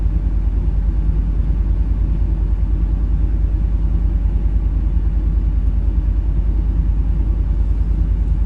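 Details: Truck V8: deep, even exhaust pulse with a steady beat and no stumble or skipped firing. It is running clean on all eight cylinders after earlier running on seven.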